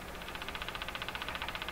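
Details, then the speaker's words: Crosley 43FB battery farm radio during alignment, on the AM band with the volume down: fast, even ticking about sixteen times a second over soft hiss; an intermittent tick has come back, cause still unknown. "Now I remember, it was this ticking that just threw me for a loop there."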